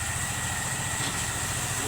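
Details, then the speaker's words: Honda Pop 100 motorcycle after sitting a few days: a busy metallic rattle over the low idle thump that stops when revved and returns at idle. Found to be a loose magnet inside the flywheel, not the cam chain or piston others suggested. Loose flywheel magnet rattle. "Olha só o barulho. Quando eu acelero, o barulho para. Parou o barulho. Voltou o barulho."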